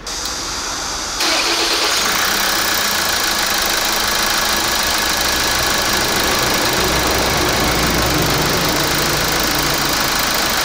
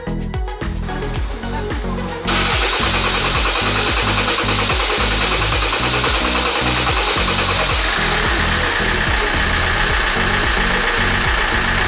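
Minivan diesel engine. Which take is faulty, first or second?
first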